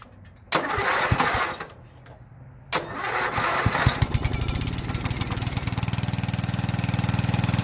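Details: Lawn mower cold start, engine and muffler cold to the touch: two bursts of cranking, then it fires and settles into a steady, even chug of about four beats a second. A clean cold start.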